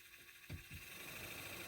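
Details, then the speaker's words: Renault Laguna 2 heater blower after repairing burnt speed-regulator board by soldering wires directly, set to low speed: soft click then quiet, steady fan hum; blower works, no burning smell so far. "I won't turn it on to maximum, because it's definitely running all over my feet around the cabin. Well, it works, everything worked."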